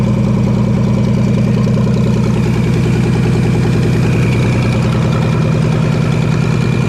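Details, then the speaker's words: V6 engine in Ford 2N tractor, warming up after carburetor vacuum leak plugged: steady even idle, smooth low rumble with regular firing pulses, no misses or sucking hiss; idles cleanly. "Gonna double check, make sure all the other ports are covered, and then we'll start it and let it warm up for a minute."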